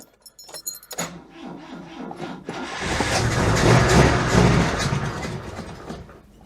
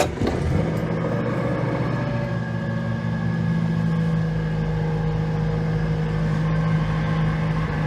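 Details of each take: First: Oltcit car with weak battery and low jump pack: clicks then even cranking that never fires; owner suspects a poor battery connection and no fuel getting through, though oil pressure light goes out. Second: Fox petrol car just started as fuel comes through: settles into a steady, even, smooth run with no misfire or knocking; sounds healthy.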